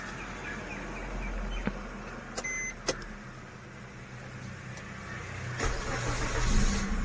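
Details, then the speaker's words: Maruti Swift Dzire petrol had long cranking on cold morning starts. About three hours after all four fuel injectors were replaced, it is quiet, cranks briefly and catches at once into a steady idle. The hard start is fixed. "ഒറ്റ അടിയിൽ start ആകുന്നുണ്ട് complaint മാറിയത്"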